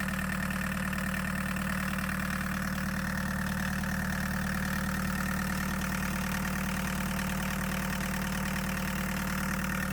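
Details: Chevy S10 pickup swapped to 1.6L VW diesel, started after glow plug warm-up: even diesel clatter at steady idle with low constant drone, no misses or stumbles; healthy running engine.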